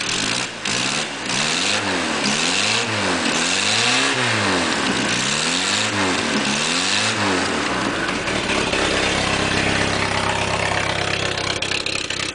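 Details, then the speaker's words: Engine on a hot tub project whose owner suspects a failing head gasket (water in oil), after fixing the broken head pipe and fabricating a new open dual exhaust with crossover: about eight quick throttle blips, then a loud, steady, healthy idle. "so now she's got dual exhaust it ain't the prettiest dual exhaust but it's there so now let's see what she sounds like i like it"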